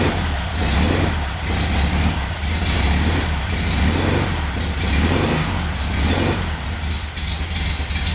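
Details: VW engine idling on a rigged temporary petrol tank, with a leaking fuel pump: a deep, pulsing woof about once a second over the idle, uneven in strength. The cause is unknown and the engine must come out again.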